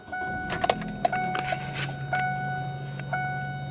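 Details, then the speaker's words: 2005 Kia Spectra EX sedan, 146,913 miles, airbag light on: chime beeps and clicks, then engine starts right up and settles into a quiet, steady low hum; normal start and idle. "all right as you can see started right up there"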